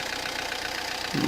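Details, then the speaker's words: Peugeot Partner 1.9 diesel idling: hard, loud metallic clatter over steady tick-over, like a loose valve; mechanic suspects wrong timing-belt setting letting pistons strike valves; cause unconfirmed. "يعني الكرهبة تخدم لكن تعمل صوت كما هذا، صوت اللي هو صوت مزعج، صوت يعني كأنه سباب محلول، كأنه يعني عنده مشكل"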